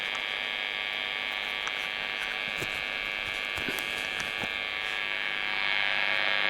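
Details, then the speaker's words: Marshall 30W Lead JMP2201 valve guitar amp with nasty steady mains hum buzz, suspected from nearby workshop fluorescent lights; bright pot also faulty with dead spots. "It's got a sort of bit of a nasty mains hum buzz. May or may not be able to do something about that."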